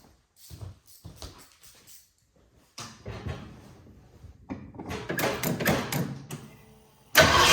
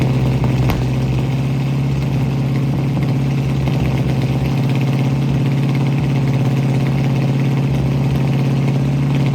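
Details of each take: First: 1967 Mustang, carbureted, air cleaner and distributor vacuum hose off while adjusting timing: cranks, catches in ragged bursts, stumbles and dies; would not run, traced to fuel delivery problem, fuel starvation. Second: 1967 Ford Mustang V8 running again after new fuel sending unit, fuel lines blown clear and carburetor needle-and-seat fuel supply fix: steady, even idle burble with no misses, stumbles or surging; normal idle.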